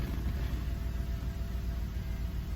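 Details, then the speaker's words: 2006 Cadillac DTS Northstar V8 with code P0305, after replacing cylinder 5 coil and spark plug: low, even rumble with steady idle and no skips or pedal shaking felt before; normal idle after repair. "It sounds good. It sounds normal."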